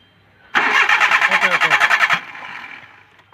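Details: Maruti Suzuki Alto: quick, even starter cranking about three turns a second for over a second and a half, engine never catches, then silence; cranks but won't start.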